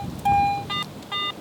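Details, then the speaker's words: AT Pro metal detector in standard mode with iron audio on, sweeping an old buffalo nickel: a clear, steady mid-pitched tone with no broken edges, a clean medium target tone. "Medium tone's clean on the nickel."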